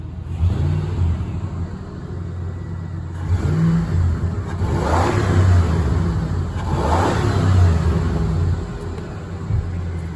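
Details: 1998 Ford F150 V8 just fitted with eight new spark plugs: two clean throttle blips from a smooth idle, rising and falling evenly with no misses or knocks; the engine pulls healthy and even.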